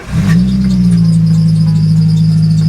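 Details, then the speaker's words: Scrap £300 car on a long cross-country drive: loud steady squeal comes in with the engine and holds its pitch, an accessory drive belt slipping; the squeak comes and goes intermittently. "Ain't no new addition to today's noises. Uh it's going to be catastrophic belt squeak. It does this every now and then."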